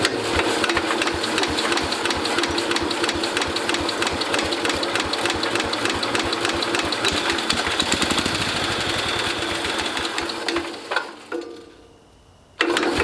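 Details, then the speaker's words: International Cub Cadet 109 garden tractor, Walbro carburetor just rebuilt with new kit: quick, steady putter at fast idle, slightly uneven as mixture settles, then cuts out; engine running, smoking briefly. "just that short amount of time it's running smoked it up in here pretty good"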